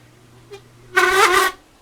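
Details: Old Lasko box fan, nearly seized and stopping immediately at switch-off: low motor hum then single loud harsh half-second creak with faint tick before it; cause unconfirmed before fixing.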